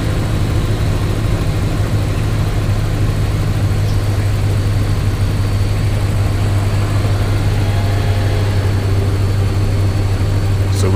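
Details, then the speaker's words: 2004 Dodge Ram bought with 40k miles, idling after XS Power 6500 battery and CES 320A alternator upgrade and belt alignment; smooth steady hum, no ticks, squeals or belt chirp. "Woo! Yeah, man. Thing operating good."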